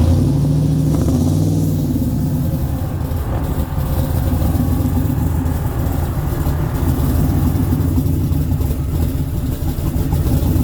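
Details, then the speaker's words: Chevrolet C10 with 5.3 V8, stage 2 cam, LSA supercharger, stock 2003 Silverado PCM, before tuning: deep lopey idle that swells and sags, rpm hunting up and down chasing itself; hunting idle from bad tune. "you can hear how bad it chops and how bad the tune is i was trying to sit here and hunt for an idle going up and down up and down chasing itself"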